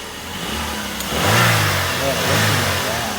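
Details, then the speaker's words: 2001 Saturn SC2 5-speed after brake pad replacement: steady, even idle, then one quick clean rev that climbs smoothly and settles back without stumble or knock; engine healthy. "go cars running good"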